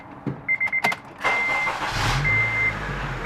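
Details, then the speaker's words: 2009 Honda Civic Si FA5 with the 2.0 i-VTEC engine and 83,000 miles, serviced on Mobil 1 synthetic oil, gives door chimes and a quick crank. It catches promptly and settles into a smooth, steady idle with no misses. "all right I'm going to go ahead and crank the car real quick once again so you can hear it crank"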